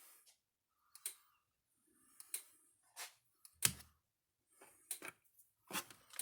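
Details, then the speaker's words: Gallagher M600 electric fence charger under repair, tested before the correct capacitor is fitted and without a load tester: crisp, strong snaps about once a second; the spark looks healthy. "Pretty healthy spark too."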